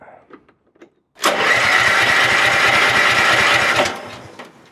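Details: Vehicle started on choke in damp cold around 3°C, seat sensor disconnected, foot on brake: catches and runs a few seconds with uneven lumpy beat, then dies; rough running when cold.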